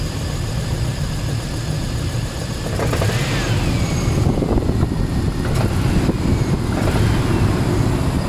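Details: Range Rover P38 4.6 V8 with power loss, misfire and oil turning charcoal within months: uneven loose knocking about twice a second over deep rumble; owner suspects big end bearings or piston rings, unconfirmed.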